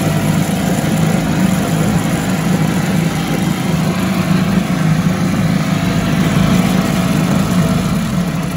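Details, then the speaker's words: 1974 Mercury 4 hp single-cylinder two-stroke outboard, revived after sitting a long time, runs on first test after fueling: even, steady idle throb with no misses, surging or knocks; runs like a top, normal running. "I think that's right I'm pretty good love it runs like a top"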